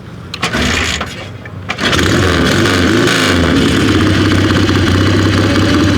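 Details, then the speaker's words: 73-year-old Triumph twin "The Judge", mechanically restored, carburetor primed like a weed eater: a couple of kicks, then it fires, blips up and settles into a steady even twin beat; healthy start. "Sounds great, man."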